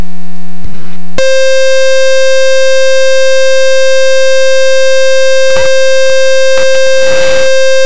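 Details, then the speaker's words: RV-7 aircraft engine just started before phase one test flight, oil cold, oil pressure coming up to green; a loud, steady electronic buzz holding one pitch after a brief lower tone, a high current alarm. "all right looks like a successful start with a high current alarm this morning"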